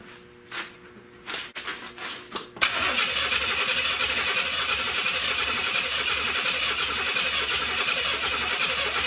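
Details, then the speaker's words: 1970 Buick Wildcat 455 V8: the starter churns at about four turns a second but the engine never catches; the distributor power wire was disconnected, and a test light showed no power. "Alright, so what I got going on here, guys, is that I'm noticing one of the wires is off of the distributor. So I want to check this. Alright, no power."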